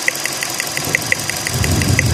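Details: 2016 petrol car idling with a regular sharp tick about six times a second and a slightly uneven, shaky note: engine misfire, suspected from spark plug current leaking to engine ground.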